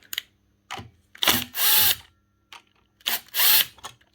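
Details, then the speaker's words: Makita LS1019 miter saw motor after cleaning brush holders and fitting new brushes: short bursts of high, rough whine spinning up and cutting off, brushes hot and sparking; worn armature on its way out. "It's not gone completely. It's just that it's on its way out."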